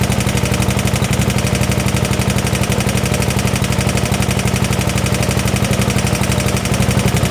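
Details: 1972 Gravely 816 with Kohler Command 18, running after carb modification: steady sharp evenly spaced knocking about four per second over low idle, a deep bottom-end knock. Cause not confirmed; motor judged pretty much blown up, likely why parked.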